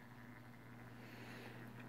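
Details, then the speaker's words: Stainless steel tumbler-coating rotisserie motor with the cup now supported at both ends: faint, steady, even hum, no jumping, grinding noise or metal shavings anymore. "this cup is done and you also probably notice that I have supported the end of my cup this will not if you can see watch it for a little while it does not jump you don't hear that grinding noise I don't have the metal shavings down here below the mo motor anymore"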